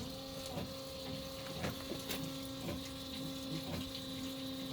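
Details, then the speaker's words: Foam Husky 3 system on a Pierce Arrow XT fire engine, apparatus pump engaged, drafting foam from a bucket in fill mode: steady mid-pitched electric motor hum with soft clicks about once a second as it starts pumping; normal pump operation. "And as you can see, you can hear the motor pumping and it's starting to pump."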